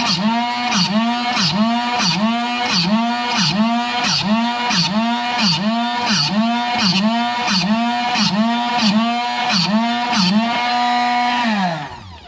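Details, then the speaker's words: Drill Doctor sharpening a drill bit: repeated rising-falling grinding strokes about one and a half per second, some snagging harshly; rotations started badly at the top, so the wheel catches on the bit. "I actually kind of screwed this bit up in the very beginning I didn't start my rotations well on the top here and you could hear it catching when if I didn't want it to essentially"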